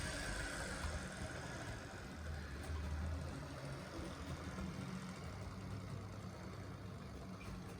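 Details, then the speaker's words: Secondhand Gützold model train locomotive after cleaning and greasing, low power: steady low whirring drone with faint rumble, even and unbroken; runs a little smoother, not quieter; normal running. "That might be a little bit better actually, and that might be a little bit smoother. Not any quieter though."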